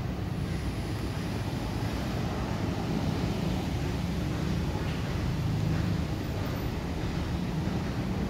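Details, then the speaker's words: Heavy sliding gate after replacing all four rollers and bearings after 8 years of use: even, steady low rumble as it rolls shut, no knocks, scrapes or squeals; only slight noise from top bearing, stops smoothly. "Ya, sekarang suaranya halus sekali, tidak ada suara sama sekali. Hanya ada sedikit suara itu dari bagian atas, bearing atas. Ada sedikit suara, tapi tidak menjadi masalah."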